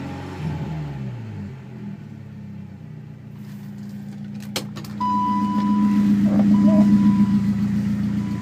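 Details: BMW E30 318is with M42 engine: a light, even tick at about four per second at idle that continues through the revs, still present after the timing chain tensioner was replaced; source unidentified.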